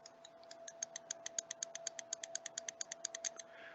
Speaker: light came on dim and the relay clicks can you hear the clicking now i'm going to reverse that and do the same thing the bulb is coming onto him and the relay is clicking